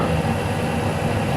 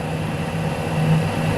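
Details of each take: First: Lathe single-point turning an internal thread for a locknut on a rotating welding positioner, at reduced spindle speed after a bad-sounding 0.1 mm feed: steady, even cutting rush with no chatter, now cutting 1 mm deep; smooth, clean cut. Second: Lathe single-point boring an internal thread start/end groove for a welding positioner locknut at reduced speed, about 1 mm deep: low steady singing tone through the cutting noise; tool chatter.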